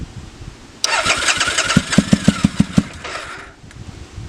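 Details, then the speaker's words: 2005 Triumph Bonneville America, first start after seven years' storage, on choke: slow idle with heavy uneven thumps about three a second, sagging; idle possibly set low, owner suspects one cylinder misfiring; low uneven idle. "maybe the idle set a little low i didn't really mess with that"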